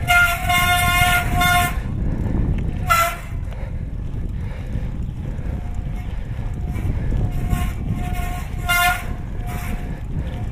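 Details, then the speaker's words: Mountain bike disc brake during hard stops at near-threshold braking to heat and bed the rotors after de-squeak treatment: short high-pitched squeals come and go over tyre noise, nearly gone; residual disc brake squeal. "Now I'm at the point where I'm just about at threshold breaking and the squeal is just about gone."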